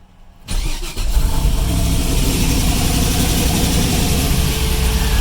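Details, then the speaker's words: GM LS turbo engine, after previous thrust-bearing wipe and tinny rattle at idle: starts quickly and idles evenly, rattle gone, only typical light rocker-arm valvetrain ticking, an exhaust leak and a loud cooling fan; normal start and idle. "now what we do here is you know the typical ls uh valve trade noises and you hear the exhaust leak down here yeah there's nothing i can do about that"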